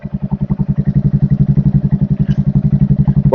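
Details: Royal Enfield Hunter 350 that would not self-start, fixed by installing a new battery (charging 13-14.3 V running): steady single-cylinder idle thump at about four beats per second with no misses or clatter.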